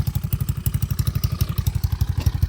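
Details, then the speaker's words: Motorcycle single-cylinder engine, 192cc 2-valve, planned for 213cc 4-valve upgrade: heavy, regular deep thumping about twelve beats a second at idle; the exhaust pipe is noisy, not the engine. "Ay, kaya maingay. Tahimik naman yung makina. Start natin. Yun, maingay yung pipe."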